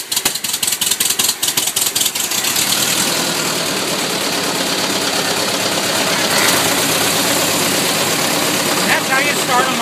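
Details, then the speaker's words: 1914 Ford Model T being primed and choked, coils buzzing: rapid cranking thumps for a couple of seconds, then the engine catches and settles into an even, steady run; healthy start. "you hear the coils buzzing and with a little luck she'll kick out"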